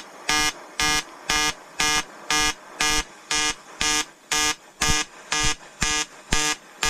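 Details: EWM Tetrix XQ 230 Puls AC/DC inverter TIG welding 5000-series aluminium lap joint: 2.4 mm lanthanated tungsten, 2 mm filler, 94 A pulsed (0.20 s pulse/0.30 s pause), 150 Hz rectangular AC. Crisp buzz pulsing evenly twice a second, no crackle or sputter; stable normal AC TIG arc.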